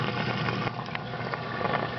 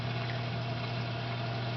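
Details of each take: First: 220 reef tank sump protein skimmer air intake pipe before muffler fitted: constant loud rushing hiss of air through tubing, no pumping rhythm; noisy intake, later silenced by a muffler. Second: 220 reef tank sump after muffler fitted on the loud pipe: pipe noise gone, only a soft steady low pump hum, no gurgle or rattle; pump running quietly and normally.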